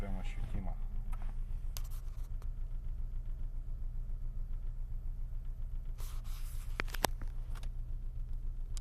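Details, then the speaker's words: Engine at idle, recorded from outside, with mirror shaking and steering wheel vibration: dull knock repeating roughly three to four times a second over occasional handling scrapes; unexplained knock at idle. "Зеркало дрожит. На руле вибрация. Не знаю, слышно, нет этот стук. Долбит"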